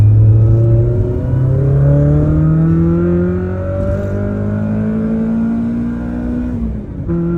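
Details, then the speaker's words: AE86 Corolla after swapping an annoying short shifter back to the rebuilt stock shifter: engine pulls cleanly up through revs and gear changes with a smooth exhaust note and no high-rpm shifter rattle. "oh this is great no rattle at all I can really enjoy the Driving [Music] Experience"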